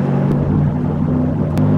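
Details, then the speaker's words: Growl from suspected worn wheel bearings, heard on a test drive of a GMC Envoy XL with the 4.2 engine that was in for a hot hard-start complaint. Steady low rumble and droning hum; every wheel bearing sounds bad. Not confirmed. "Oh boy, that sounds like every wheel bearing in it's bad."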